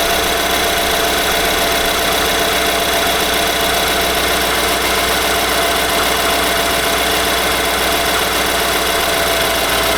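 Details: 2018 Nissan Armada SL 5.6L V8, about 38,000 miles, at idle: a fast ticking knock, three to four beats a second, over an even idle; owner questions whether it is normal and points to TSB NTB19-057.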